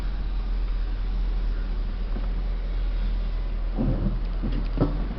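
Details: Ford New Fiesta maneuvering slowly, recorded from inside: dull low rumble, then a short cluster of suspension knocks from worn stabilizer bar links.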